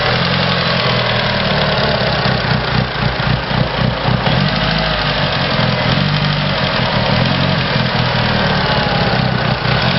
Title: Evo ticking noise